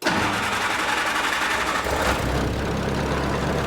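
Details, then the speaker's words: Old flat-fender Jeep petrol engine started after refitting a fender and adding a fuse block, cooling system not yet done: brief crank, catches, then settles into a steady even idle with no knocks or misses; runs well. "but did you hear it run thing runs so good"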